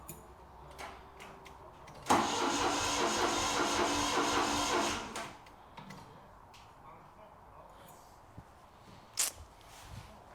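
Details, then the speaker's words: Ford Capri 2.8 V6 on refitted starter, two plugs back in, battery suspected weak: one three-second burst of sluggish, even cranking with no start; slow turnover. "I mean, it turns over, but I don't think it's any quicker. I have put 2 of the plugs back in, which will be coming out. And I'm sure it's due for a battery this now. The battery's a bit knackered."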